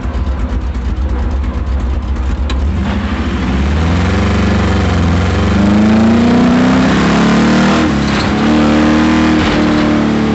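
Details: Camaro V8 at full throttle during an autocross lap, with a rough, uneven beat under the exhaust roar; first taken for a miss, it turned out to be a spun bearing.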